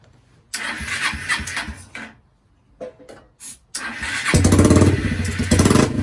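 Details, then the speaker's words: 2001 Kawasaki Eliminator 125cc bobber project, first start in years after new CDI and carburetor install, no muffler fitted: cranks, catches, then settles into a loud, sharp open-exhaust single-cylinder idle; runs normally, just unmuffled. "that is loud it is very loud and it's because we don't have a muffler on it at this time"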